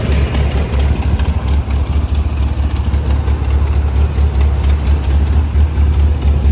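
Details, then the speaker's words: 1981 Toyota Pickup 4x4 with freshly rebuilt engine, Weber 32/36 carburetor and performance cam: deep, choppy idle with an uneven lope about every two-thirds of a second, normal for the aggressive cam, engine healthy. "I also forgot to mention that this motor does have a performance cam in it so um yeah you're gonna be able to uh hear it so I'll show you guys what the motor sounds like"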